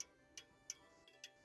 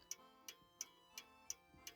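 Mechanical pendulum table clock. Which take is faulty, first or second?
first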